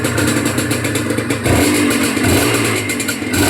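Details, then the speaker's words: Honda NSR150RR two-stroke after new spark plug and air-fuel tune for hard starting and poor revving: buzz climbs cleanly through several blips and drops back without stumbling or popping, engine quiet; normal revving. "เร่งได้อยู่เร่งเร่งโอเคอยู่ครับเสียงเครื่องก็เงียบอยู่นะครับ"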